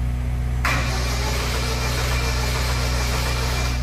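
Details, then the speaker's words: Chevrolet Celta towed in not running, cranking before the timing belt and cam cover are removed to check for a broken key: lumpy, uneven cranking beat, one cylinder seemingly weaker; compression present but not uniform. Uneven compression while cranking. "ele tem compressão de cilindro deu para ver que ele tá tendo uma compressão de cilindro mas não tá uma compressão uniforme tá el tá dando umas galopas ali um pouco diferente"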